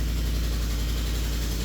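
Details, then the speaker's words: 2010 Lincoln Navigator L with 5.4 three-valve V8 at cold start: fast ticking from an exhaust leak keeps pace with the raised idle and fades as rpm drops. "So, you can hear that exhaust leak ticking"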